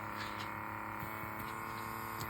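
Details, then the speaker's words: Electric diamond painting pen with vacuum pump (E-Painter type) running: constant high-pitched buzzing hum that never changes; loud pump noise that becomes irritating. "But that noise is definitely starting to go through me now and get on my nerves."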